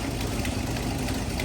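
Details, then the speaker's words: 1985 Ford F350 dually, 460 big block with C6 auto, parked about 12 years, just revived: ignition timing set to 10 degrees, and the idle rose slightly and ran cleaner. A steady, even low rumble with no misfire; a possible exhaust leak was noted. "We're right at 10 degrees now. It idled up a little bit. Ran a little cleaner."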